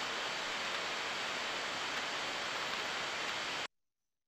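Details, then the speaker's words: Customer's bearing heard through an ultrasound probe: steady, even rushing hiss, regular signature with a few small harmless peaks, no knocks or crackle; normal bearing. "voilà ça c'est la signature d'un palier correct"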